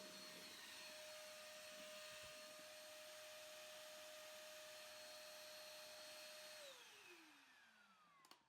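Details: Hotpoint/Indesit VS S15 AAW steam vacuum in vacuum mode: a steady high-pitched whine holds even, then falls smoothly as it spins down after switch-off. The vacuum motor sounds healthy, though the brushes are unchecked.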